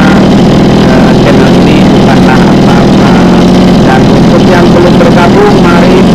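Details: Mini water-pump engine, two-stroke on premixed gasoline, holds a steady, even buzz at constant speed with no misses or surging after repair; it had been hard-starting and racing from fuel starvation.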